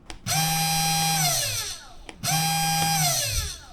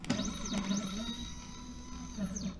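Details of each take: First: SainSmart Genmitsu 3018-PROVer V2 CNC router spindle motor, unloaded. Two short runs of a clean, steady high whine that spins up, holds and winds down smoothly. Normal spindle run. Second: Genmitsu 3018-PROVer V2 CNC mill, first power-up before CFRP machining: short X-axis jog gives rising and falling whine sweeps with a gritty buzz underneath, cause unclear; unusual stepper axis noise when jogging.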